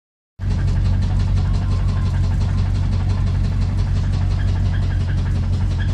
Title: 85 Chevy Silverado driving with engine knock 2